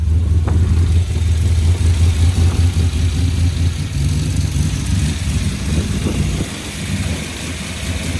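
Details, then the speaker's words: Mercedes W202 AMG with M113 V8 on new ECU Masters/AIM PDM wiring loom, first fire-up, cold: steady low V8 burble with even beat settling slightly lower, no ticking or misfire; smoking a bit from oil in the cylinders, otherwise idles fine. "Okay, she's running, guys. She's smoking a bit because of the oil in the cylinders, but she's"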